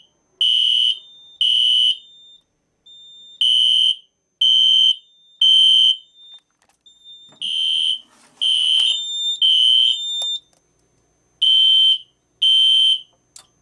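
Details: System Sensor Spectralert horn strobe (P1224MC), code 3 low, on Kidde FX panel with MDL sync module, panel supplying full-wave rectified power: shrill triple-pulse blasts, raspy, scratchy, lower pitch than on filtered DC.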